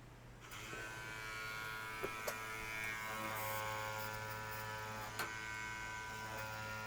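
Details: 2016+ BMW R1200RT during brake flush, ABS pump switched on via diagnostic computer to purge air while the brake lever is pumped: steady electric buzz with low hum and faint clicks; ABS pump running normally.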